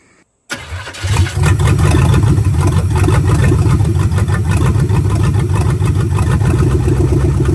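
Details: Budget 283 small-block Chevy with turbo 350, vacuum-secondary carb and open exhaust, just swapped into 1985 Oldsmobile Cutlass: fires in about a second, settles to loud steady burble; ran a full cycle, thermostat opened; normal idle.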